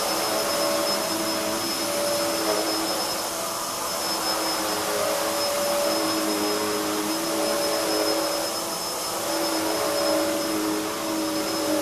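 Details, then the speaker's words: Hoover upright vacuum (model since 1997) switched on: the soft-start motor builds speed gradually into an even high-pitched rush at full speed, with no rattles or surging; running normally. "it's got a soft start motor so that when you turn it on it's very similar to The Back zoom and the way it starts it starts off and it builds up the speed gradually"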